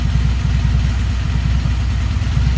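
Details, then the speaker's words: Honda Magna VF750C, cold start on choke after carb rebuild: deep, lumpy idle with uneven pulse and no smooth beat; the four carburetors still need synchronizing. "but I still need to sink the carburetors, all four of them. I do have a tool in the truck for that."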